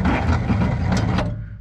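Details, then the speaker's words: 1951 Pontiac Chieftain straight eight on a six-volt system, sitting unrun for 30-plus years: deep, heavy churning as the starter turns it over steadily, then it fades with no firing; it cranks but won't start, and spark is not yet checked. "and so when i do this it starts to turn over"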